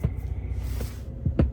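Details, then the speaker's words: Jeep Gladiator with electrical gremlins: a few deep, irregular thumps from the subwoofer over a low hum. Happens alongside random dings, blinking center stack, infotainment reboots and climate control turning itself on. Electrical popping, cause not confirmed. "And every now and then you can even hear the subwoofer making a sound."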